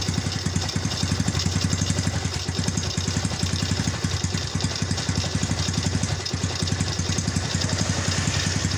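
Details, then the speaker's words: Yamaha Vega that slips its clutch on climbs and jumps, idling with a loose, rattly clatter knocking with every firing pulse before teardown; engine clatter at idle, cause not yet found. "Mari kita bongkar motor ini suaranya rame banget ya jadi motor ini suaranya Klatak Klotok Klatak Klotok"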